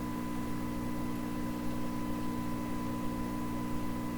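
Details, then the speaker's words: 1928 RCA Victor Model 28V radio with a signal-generator signal fed into the detector grid: a steady, clean tone with no hum, crackle or distortion; audio stages work, and the fault lies in earlier stages. "Wow, that suggests to me that if you can get a clean signal to this detector grid, you get a nice thing out of the speaker."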